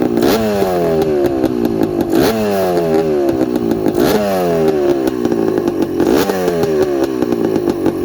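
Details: 1984 Honda ATC250R air-cooled two-stroke three-wheeler, engine freshly rebuilt with new crank bearings and top end: crisp blips revving up and falling back about every two seconds, picking up cleanly and running evenly; healthy engine.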